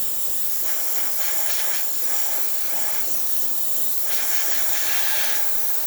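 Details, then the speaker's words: Gaggia Cadorna Plus espresso machine after grinder replacement, thermoblock heating and pressurizing: strong, steady high-pitched steam hiss at full even pressure with no sputtering; normal steam wand operation. "now as you can hear the steamer simmer block is the thermal block is heating up to steam it's gonna pressurize a bit and then it's gonna push out through the steamer"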